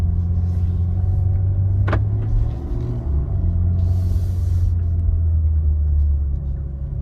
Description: Popping Sound When Backing Up M3 G80